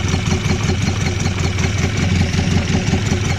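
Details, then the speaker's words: Mk1 Ford Escort with rebuilt bottom end, first run, warming up as thermostat opens: lumpy, loping, gulping idle with occasional pops; cam possibly very retarded, vacuum leak, arcing spark plug lead suspected. "t she's a bit lumpy, but the cam is that far retarded or whatever. She is still, she's popping every now and then."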